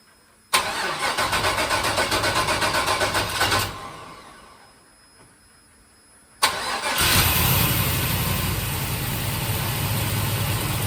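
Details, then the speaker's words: 1955 Buick Special with LS turbo engine, stage 1 cam, untuned stock idle, temporary cherry-bomb exhaust, cold start in cold weather: cranks, catches, dies, restarts and settles to steady even idle, no knocking or banging; no spun bearings. "But I can't run it that long, but at least the engine sounds good. I don't hear any knocking and banging, so that's cool."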